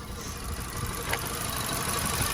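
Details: VW Golf idling with one ignition coil pack swapped over to test: rough, uneven, stumbling beat, misfire follows the swapped coil, owner concludes the coil pack is faulty; ignition coil misfire.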